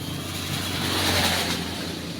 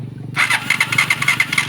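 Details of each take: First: Honda TMX Alpha motorcycle after swapping the cracked spark plug for an old one, started on its electric starter: starter whirs briefly, then catches and settles into a steady, clean single-cylinder run with no misfire; normal start and idle. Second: Honda TMX Alpha motorcycle suddenly lost spark and won't start: kickstarter churns through quick strokes with no firing at all; no spark, plug found with no current inside and cracked centre.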